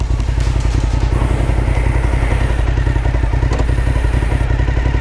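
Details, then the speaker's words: Suzuki SV1000 V-twin on the road: loud, lumpy thudding with uneven pulses below about 2,500 rpm, chuggy you can feel; rider unsure if it's fueling needing a retune or normal V-twin character. "down low below like 2,500 rpm the engine is a bit chuggy and you can like feel it / hear it"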